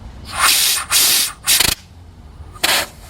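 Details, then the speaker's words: GM EVAP purge valve (code P0496, flow during non-purge) tested off the vehicle, unpowered, with air blown through: sharp bursts of hissing air pass through; valve leaks when it should be closed. "You heard that air coming out the first time, and then now, well, actually, it's still leaking. That valve is leaking."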